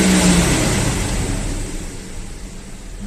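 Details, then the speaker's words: Audi A4 V6 after repair, oil pickup previously clogged by silicone sealant used instead of a gasket, revving up and settling smoothly with an even note, no knocking or ticking; oil pressure warning light no longer comes on. "Ahí está funcionando acelera ver como se escucha está suave"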